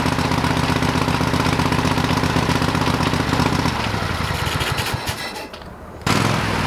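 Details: Old lawn mower, still on old gas in the tank: steady single-cylinder putter about four beats a second, briefly dropping under load then picking back up cleanly; running normally.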